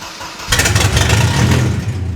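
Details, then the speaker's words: Mercedes 190E with swapped M111 supercharged engine on its first start: cranks and catches, then settles into a loud, raw, booming idle with a harsh edge, sounding terrible because no exhaust is fitted. "Obviously it sounds terrible because you've not got an exhaust on."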